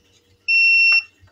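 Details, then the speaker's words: Tronic Alfa 800 studio monoblock flash, after repair of power that dropped following a failed earlier service; full power, triggered via slave cell: clean high half-second ready beep with sharp firing click. No longer drops; fires and recharges normally. "kita coba full power dia udah mantap Om udah nggak ngedrop lagi"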